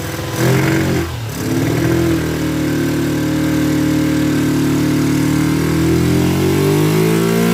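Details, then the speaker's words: Kawasaki Ninja twin on project restoration, just fitted fuel splitter with temporary fuel line to both carburetors, flooding at start: revs up unevenly, stumbles and dips early, then uneven hunting run; rough running, carburetors suspected as main issue. "Well, it runs. Definitely doesn't run the best. Those carburetors, I think, are the biggest issue right now."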